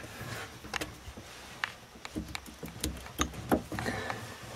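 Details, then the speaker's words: Renault Marine Couach RC6 engine inverter (reverse gear) in neutral, shaft rocked by hand: loose uneven light clunks a few times a second; normal free play, adjustments okay. "in neutral there should be some play here which is as you can hear and you can see"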